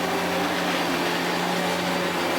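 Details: Hitachi Powerhouse CV-460D upright vacuum, late 1980s to early 1990s, stored in a shed for years, first run after repair: steady motor whir under a rough, gritty hiss from the brush roll, thought to be collapsed brush roll bearings.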